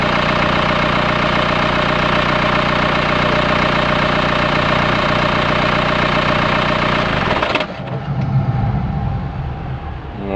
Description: Mercedes B200 2008 CDI Engine started making a metallic rattling sound.